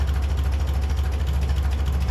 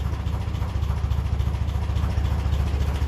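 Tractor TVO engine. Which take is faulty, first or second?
first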